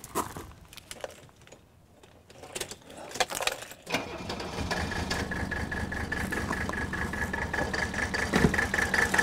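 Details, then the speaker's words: 1983 Mercedes 300D diesel, declared dead by a mechanic, idling rough and lumpy with a recurring miss; injector lines cracked one at a time to find the misfiring cylinder, no change in sound meaning a misfiring cylinder. "so the quickest way to do that on these old diesels is to start the engine up and I'm gonna crack one fuel injector line at a time while the engines idling and if there's no change and sound that I know that particular cylinder is misfiring"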